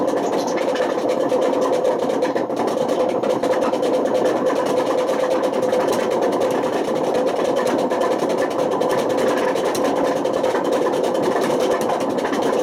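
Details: Washing machine on high spin with badly worn drum bearings: a loud, coarse, continuous rumbling roar. The bearings were bad enough to damage the spider and put excessive wear on the motor.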